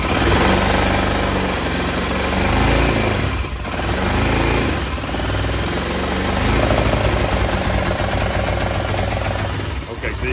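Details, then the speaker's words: BMW F650 single, out of gear at idle with a known faulty voltage regulator (heat under the seat) putting too high voltage into the system: uneven, lumpy idle that stumbles and surges. "so that's that's the problem that's the voltage regulator it's putting too higher voltage into the system a"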